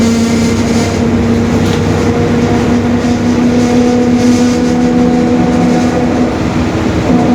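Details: Onboard a 2021 Marcopolo Torino S bus on Mercedes-Benz OF-1721 Bluetec 5 extended chassis in urban service, cruising: steady low drone with constant tonal hum under road noise; rear differential growl.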